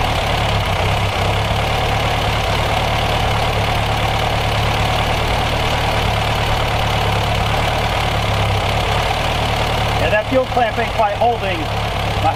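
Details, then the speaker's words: Car that had sat almost 30 years, running on fuel in the system: steady even low burble at idle, no stumbles or knocks, handling noise near end; normal idle. "but it's running off its gas that's in there pretty good. No complaints here."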